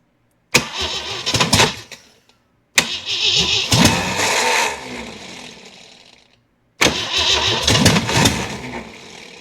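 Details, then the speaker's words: Jeep CJ7, project not run in a long time, fuel poured into the carburetor: three cranking bursts, each spinning fast with a few ragged coughs but never catching; cranks but won't start, timing suspected, spark plug wires crossed. "Man, it's almost like the timing is way off. [snorts] Very well could be."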